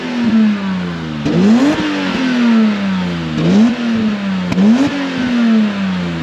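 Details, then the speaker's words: Straight-six car, warmed up, free-revving: crisp blips rising and falling cleanly with no knocking or misfire; some black smoke seen, judged better than white; sounds good, proper straight-six. "Yeah, car is alive, sounds good. Yeah. Cool. Awesome. Looks good. Yeah. Proper straight 6 sound."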